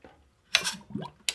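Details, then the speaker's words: 2014 Honda CRF250R kicked over with the engine not running: a few sharp metallic clicks with each kick; this is the automatic decompression mechanism operating normally. "today we're gonna be talking about that clicking sound you keep hearing when you're kicking your CRF 250r"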